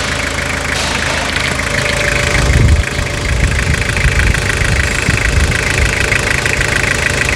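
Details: Restored Toyota Hilux (1992–2001 generation) diesel at its first run after full restoration: steady diesel clatter at idle with an even low rumble and no odd knocks or misses; normal, healthy idle.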